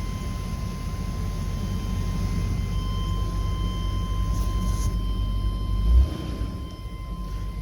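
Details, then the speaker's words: Deep, steady low rumble with an even beat and no misses, knocks or rattles from a long-sitting car that started right up without a charger; smooth normal idle. "we crank it Paula no way we didn't need the charger for this one it started right up"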